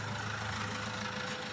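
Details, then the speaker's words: Chevrolet Spin 1.3 diesel at 138,000 km, just started after an overhaul at another shop: rough, clattery idle with a hard edge; exhaust very bad, radiator coolant brown and overflowing, oil mixed with water. "Nah, itu knalpotnya parah ya. Parah sekali."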